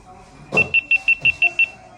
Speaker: If you hear a bunch of beeps in a row, probably means that your camera is turning itself off.